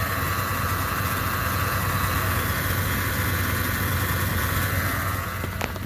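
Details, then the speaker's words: 2011 Chevy Silverado 2500HD 6.0 with 6L90-E transmission, in park, fluid level fine: steady high whine over low engine idle; suspected failing transmission pump or torque converter slip, not confirmed. "But that noise is either it's a torque converter slip or the actual, probably the pump actually. The pump's going bad."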